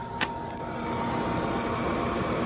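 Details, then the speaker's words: New Pit Boss PBV4PS2 4-Series WiFi vertical pellet smoker during hopper/auger priming: the combustion fan spins up with a smooth, steady whir, no scraping or wobble. Normal fan operation, though the auger isn't turning yet. "Okay, so the hopper priming procedure, you turn it on and listen for the auger and see if the fan is moving. So we'll give this a go. So I do hear the fan moving already."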